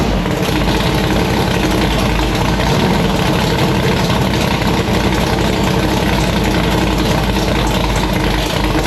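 Deep, even V8 rumble holds steady with no ticking or knocking over it; idle sounds smooth and healthy.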